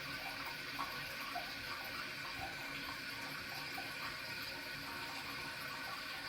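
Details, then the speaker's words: Toilet tank refilling after replacing a leaky flapper with a Korky Universal Ultra 2-inch flapper, chain found sliding under: steady hiss and gurgle of filling water with no dripping or trickling; normal refill, checking for leaks. "And I'm going to see what it sounds like. First of all, I'm going to check if it comes back to the same level. And then secondly, I'm going to inspect it to see if there's any dripping sound that I still hear any leak."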